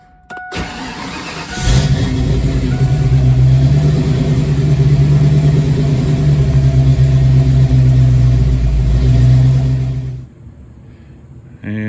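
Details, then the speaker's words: 1987 GT restarted hot after about a 20-minute drive; engine catches quickly and settles to a steady idle with only slight early unevenness, the usual few surges before smoothing barely evident; hot surging idle partly fixed. "it does have a little bit of a surge from time to time if you restart it after driving for a while pretty much every time it will have a few blurps before it Smooths out but it doesn't idle as rough for as long before it steadies out"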